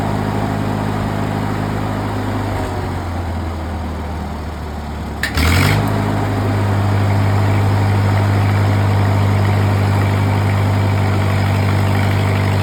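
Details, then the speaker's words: Used engine-driven welding machine load test starting in the 190 range, rod shorted and output knob turned 0 to 100%: engine idles steadily, then revs up firmly to an even higher speed and holds it without surging. Normal response under load. "I'm going to short it out. The machine's going to rev up. And I'm going to turn this knob from 0 to 100, so it's putting out 100% against the range I'm in."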